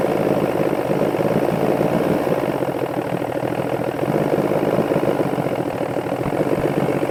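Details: Older Force outboard on a Bayliner that takes premixed oil, test run. Runs unevenly, its beat loose and stumbling, with no clean steady rhythm; an adjustment is needed, probably the carburetor mixture.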